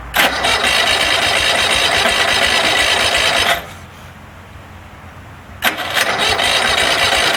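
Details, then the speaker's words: DR all-terrain brush mower with 17 hp Kawasaki FH500V, won't run off choke, before carburettor cleaning: roars, drops out about two seconds, then catches again, not running cleanly; owner suspects clogged carburettor air bleed. "it's got a problem where it won't run off a choke most likely a clog the air bleeding the carburetor"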